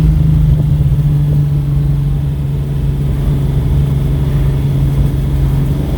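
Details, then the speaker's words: 1969 Pontiac GTO with a freshly rebuilt V8 and new Tremec transmission, dual exhaust after the exhaust leak was fixed, accelerating to about 4000 rpm: deep, even rumble with a slight backfire gurgle and no ticking or puffing from a leak. "there's still a little bit of backflowering but it it's that awesome verbal gurgling burgling so this sounds awesome"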